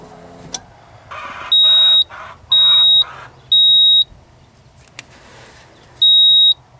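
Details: 1987 Ford F-150 inline-six that ran rough after warm-up on a cold morning, code reader beeping stored engine codes: three sharp high beeps about a second apart, a pause, then one beep; trouble code 31.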